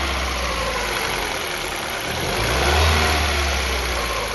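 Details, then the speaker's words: Ford New Fiesta 1.6 Sigma, already somewhat warm: engine revs and falls back toward idle with dull knocking on the way down. This is piston skirt slap from excessive clearance, a chronic cold-phase problem on this engine. "Pessoal esse esse motor tá com um barulho muito grande na saia de pistão tá inclusive ele já tá até um pouco quente já nem era para est fazendo mais esse barulho"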